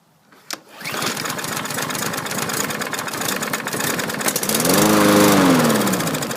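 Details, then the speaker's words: 2017 Troy-Bilt TB200 mower, 150cc engine, new spark plug, would not start: fires on a shot of starting fluid, runs roughly and unevenly, then quits; not getting fuel, carburetor suspected clogged by stale or ethanol fuel. "it fired off with some happy juice and then quit it's not getting fuel"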